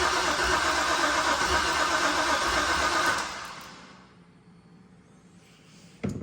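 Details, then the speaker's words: Car after rear cover reassembly: with the fuel pump ground reconnected and the pump running, the starter cranks steadily at about four beats a second for three seconds but never catches; earlier it ran sputtering; no leaks; crank, no start. "Hook that up, you hit the button, you hear the fuel pump running, but it won't start now."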